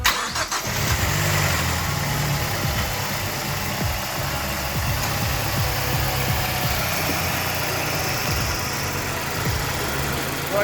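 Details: 2007 Mazdaspeed 6 being inspected before purchase, started after the VVT and timing chain check with everything reassembled: it cranks briefly, catches cleanly and settles into a steady idle with no knocks, ticks or rattles. Normal cold start and idle.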